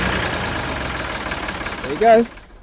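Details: Vintage E.S Hindley cast PTO saw bench, unused about 20 years, run from a Ford 4000 tractor PTO shaft: steady, even mechanical whirr with no knocks, squeals or grinding; running fine.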